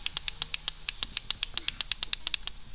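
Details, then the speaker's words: Honda XR150 motorcycle, push-button start with good battery and signal reaching starter: rapid sharp clicking about seven a second, no cranking; starter motor seized/stuck. "Ese es ese es el sonido que solamente hace c y no encender"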